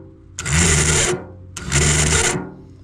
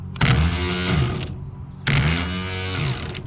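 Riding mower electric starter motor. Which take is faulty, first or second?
first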